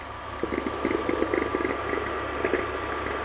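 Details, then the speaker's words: BMW E46 at idle, engine bay. Irregular chirps and squeaks as the belt jumps in and out. Pinpointed with an amplifier trick: not the alternator but the belt tensioner pulley's adjuster mechanism. "are the exact noises that it's making I'm but it's coming from the tensioner mechanism and do you see how the belt is jumping back and forth a little bit"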